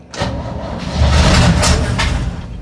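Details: 1965 Chevy C10 that sat in a field, cranked with a jump box and starting fluid: the starter cranks, the engine catches and roars briefly, then sags and dies, unable to keep running on its own fuel; it had been given gas afterward.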